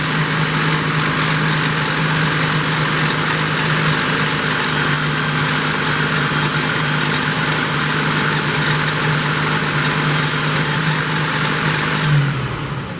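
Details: 1972 Plymouth Roadrunner 383 Magnum V8, after sitting 15+ months unrun, cam break-in (about 11 minutes run time so far), stock/RV-grind cam: steady, high, even drone for about twelve seconds, then drops away; normal fast idle during cam break-in.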